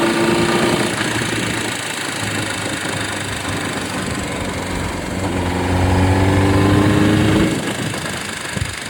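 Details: Honda CBR600RR PC37 idling: a steady four-cylinder tone with an odd rhythmic tapping, about four a second; abnormal noise, cause unclear.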